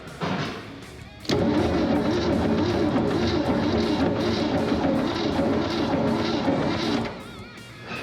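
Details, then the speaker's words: 1967 Mercury Cougar 289 V8, 4-speed, first run in almost 40 years after freeing a stuck engine: loud rough running with heavy uneven clatter; owner judges bottom-end noise, not confirmed; no oil pumping up top. "what is that the lifters are going up and down the Pistons are all going up and down something is angry somewhere [Music] well clearly it's a bottom end noise cuz we don't have a top end"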